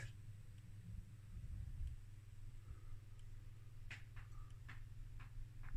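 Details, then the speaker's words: 1963 Radiometer SE21 regulated tube power supply (0-500V, 200mA) during restoration, output working: faint irregular ticks over a low hum, intermittent clicking inside. Thermal issue suspected; a resistor runs too hot. Cause not confirmed. "I don't know I better go and get my thermal camera here because I don't like the tickly tick sound here so hang on I'll be back oh it is scary to go around here and look for thermal issues and there's definitely something that goes clicky clicky click"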